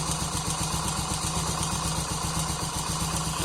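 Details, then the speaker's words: Honda Pop 100 idling: fast, light metallic ticking, about four per second, from the top of the engine; timing chain rattle, the slack cam chain hitting up top, confirmed with the cover off. "Pronto, quando a corrente folga demais aqui, ela fica topando aqui em cima, tá vendo? Ó, ela tá topando aqui, por isso que ele faz aquele barulho."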